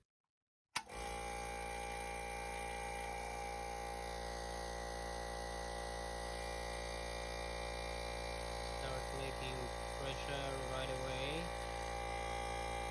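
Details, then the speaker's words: Sinko air compressor after fixing the bleeding (unloader) valve's bent spring: motor starts and runs with steady hum and even pumping beat, no air leak hiss; builds pressure normally. "No any sound here. No any noise. No any losing air."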